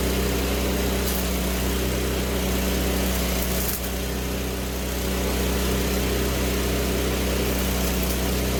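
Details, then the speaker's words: Weldanpower 250 G9 Pro engine-driven welder, set on AC at 90 amps for 1/8-inch rod, fan running nearby: very loud steady engine drone holding an even speed throughout, no knocks or surging; engine running normally. "I'm going to nickname it the monster cuz Jesus Christ it sounds like it's about to come through the wall at you man it's loud all right and it just kind of stays loud"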